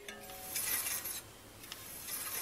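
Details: Bicycle hydraulic disc brake, wheel spun by hand: quiet high-pitched swishing scrape at one point per revolution as the rotor rubs the pads, causing noise and drag; fixed by loosening the caliper bolts and realigning.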